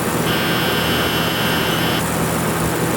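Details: TIG welder with high frequency switched on and the HF relay contact point adjusted to sit in the middle, not touching: a harsh high-pitched buzz starts and stops abruptly for about two seconds; the HF contact is chattering without closing properly.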